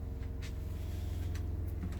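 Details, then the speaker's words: Brand-new onboard 12V water pump on a refurbished, weatherized 1988 Ford Tioga RV, switched on while draining antifreeze from the system: a quiet, steady low hum with an even pulse, no rattles or surging; normal running. "I just turned on the onboard water pump. You can hear the onboard water pump. That is a brand new onboard water pump."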